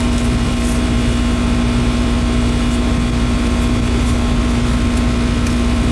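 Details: Newly installed replacement AC system with R-410 refrigerant: the condenser unit gives a loud, even, steady hum with a constant low tone and no knocks or rattles, running smoothly at startup; refrigerant still to be added.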